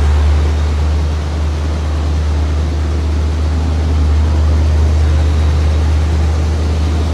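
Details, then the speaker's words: 1977 Corvette C3 barn find, first start after a battery swap and several cranks: the engine fires right up and holds a deep, steady V8 rumble at an even idle with no misses, knocks or rattles; normal running. "let's see what it does are you ready holy mackerel that thing just fired right"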